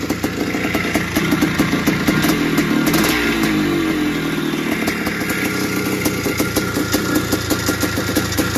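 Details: 1981 Suzuki RM465 two-stroke barn find, first start after fuel poured down the plug: blipping and idling with a loose tinny rattle over the exhaust; owner suspects it needs a top end, heavy smoke suggests blown main seal, clutch side suspected.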